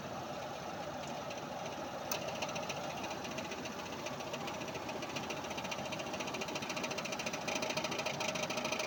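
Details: Mazda RX8: steady rapid ticking knock, about three per second, over a quietly running engine; torque converter knock suspected.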